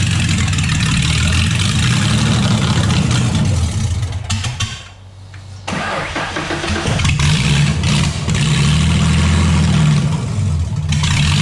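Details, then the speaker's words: Modified V6 Mustang: it cranks, fires, dips nearly to stalling, then picks up with uneven revs. Rough running; owner suspects another vacuum leak and says only a few plugs are firing. "like and it kind of sounds like I have another vacuum leak let's try that"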